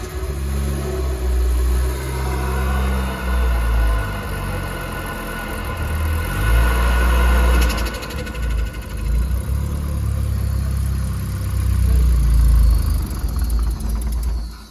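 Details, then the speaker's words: Nissan S14 with SR engine swap, freshly rewired and not yet tuned, on 93 octane: deep uneven loping idle with surges and throttle blips. "Yeah, because it's loping."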